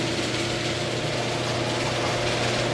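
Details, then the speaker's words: Garage door opener operated through a Wyze garage controller, with a slight delay after the command: steady, even motor hum with a constant low drone and no grinding or knocking; normal operation. "so that's like a slight slight delay in it but but it's okay overall it's it's it's it's great"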